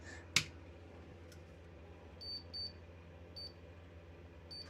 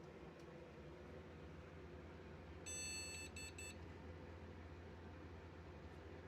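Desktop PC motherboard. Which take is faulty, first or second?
second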